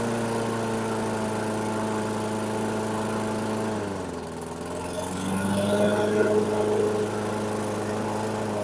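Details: 2008 Weedeater 22-inch 500 series mower, engine model 10T502, after non-start repair work: steady fairly fast beat, brief dip near four seconds, then recovers; RPMs a little high, possibly left high for heavy cutting; throttle cable and a possibly bent screw to check.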